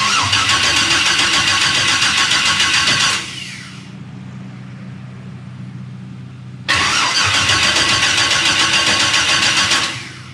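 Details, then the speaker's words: 1000hp turbo LS-swapped Mustang on first start-up, cooling system unfinished, coils and injectors plugged in: two long bursts of fast even cranking, about three and a half turns a second, sounds like it wants to start but never fires. "I don't understand. Stand by. It sounds like it wants to start."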